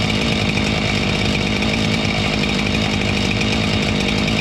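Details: Husqvarna 576 XTorq chainsaw after muffler repair (mount had cracked when screws fell out): steady, high buzzing two-stroke note held at constant speed, no popping or puffing from an exhaust leak; running normally.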